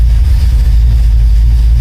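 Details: 1972 Oldsmobile Cutlass V8 after new electric fuel pump on relay, 14 volts, three gallons fuel, AFR good: warm, deep steady low rumble with even beat, no knocks or misses, no leaks; normal idle.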